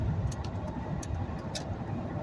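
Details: Ford Crown Victoria V8 cruising near normal operating temperature after a P0316 misfire cleared (coil packs had been soaked during engine cleaning, then blown dry): low even hum under road and tyre noise, no stumble; running smoothly, check engine light off.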